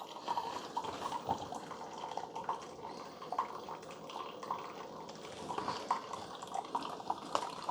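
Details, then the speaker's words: Keurig K-Supreme with its covers off, start of an 8 oz brew: quiet trickling and gurgling as water flows back, before the air pump kicks on. No pump whine or rattle; normal. "okay so it has started it's really quiet this pump is air pump is going to kick on but right now there's just some water kind of coming back in it"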